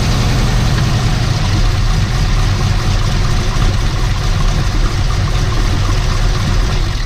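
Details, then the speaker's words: GM LS V8 idling with the serpentine belt removed while tracing a grinding noise: steady deep rumble with no grinding or scraping, so the noise is not internal to the engine but from a pulley. "all right so that's the first bit of good news it's not internal to the motor"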